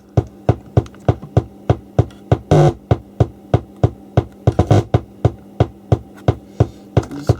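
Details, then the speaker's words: 1980s Marantz PM-45 amplifier: regular low thumps about three a second over a steady hum, slowing when the board is touched, on the right channel only. The phono preamp is motorboating from low-frequency instability; excess conductive glue on the reworked board is suspected. "can you hear this click in the background like a low frequency instability and it's only on the right hand channel"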